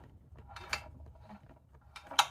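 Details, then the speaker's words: 16.5 hp Briggs & Stratton engine with auto-decompression camshaft, which would not crank past the compression stroke; turned slowly by hand with valve cover off, two sharp clicks about 1.5 s apart as compression rises; decompression release now working. "See that little bump right there? Okay, that's the, you can hear it click. All right, that's the decompression."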